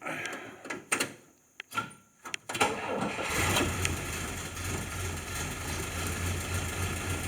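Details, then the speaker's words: October 1952 M38A1 Jeep, cold start on full choke after a couple of pedal pumps, exhaust valves recently adjusted: brief cranking and a few clunks, then it fires right up and holds a steady low idle; a normal start. "Started right up. It It starts up great as I go in on the choke."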